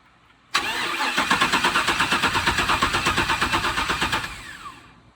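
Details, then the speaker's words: Camaro with swapped 6.0 engine cranking steadily without firing; coils show 11.9 volts key-on but lose all voltage while cranking, no spark; wiring fault suspected, yet to be traced: crank, no start. "Now I just got to, I guess, track down the wiring, figure out what's going on, and try to see why I'm not getting any power to the coils when I'm cranking."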